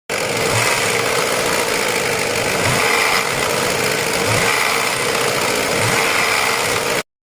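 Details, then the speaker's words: Ford Fiesta idling with a light metallic chatter riding high over the engine; worn timing chain tensioner, replaced with new part. "Manutenção corretiva aí, um probleminha que tava dando barulhinho incomodando, como vocês viram no começo do vídeo"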